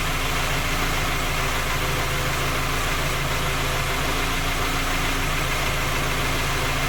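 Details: Skoda Octavia A5 facelift 1.6 MPI, engine knocking when cold despite three engine repairs that did not find the fault: steady idle with faint, fairly quick tapping over the engine note; source unclear.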